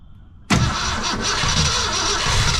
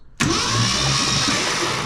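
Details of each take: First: 1966 Ford Fairlane 390 FE V8, first start attempt in about 20 years: steady fast cranking that never fires; carburetor getting no fuel, it needed a steady stream of gasoline poured in to run. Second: 1966 Ford Fairlane 390 FE V8, stuck for about 20 years, cranked on the starter with all spark plugs removed: fast, even high whir with no compression pulses, as expected, pumping oil up.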